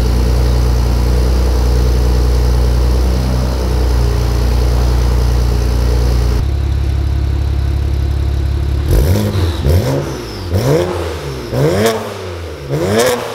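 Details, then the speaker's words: BMW N54-powered E91 wagon, cold start after fitting VRSF exhaust and downpipe: steady deep idle, then each throttle blip brings a sweeping whoosh and chirping duck-like flutter from the intake; owner suspects an incorrectly installed inlet. "warning this car makes weird noises from the induction because i think the inlet was installed incorrectly sounds like an n55 so it makes like duck noises when you're like giving it the beans"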